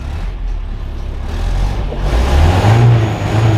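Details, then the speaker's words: Restored 1977 Toyota Celica GT barn find with a rebuilt carburetor, started after two pumps of gas despite a troublesome starter. A steady low engine rumble that builds slightly as it revs, no knocks or misses; it runs normally. "there you go start it up the first time when it actually wanted to start again the starter has issues but yeah it starts up no problem"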